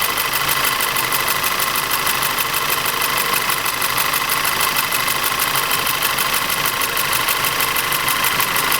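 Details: Audi TT 2.0 TFSI engine, uneven idle with a sharp, fast metallic knock about three times a second; diagnosis found low compression and ignition misfires in the same single cylinder.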